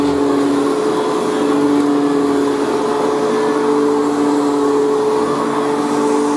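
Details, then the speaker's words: Old unused vacuum cleaner, new-old-stock, first run in years: steady high motor whine with faint scratchy hiss from unbedded new carbon brushes; normal running. "so there we have it so it runs very well actually and considering it hasn't been run in years"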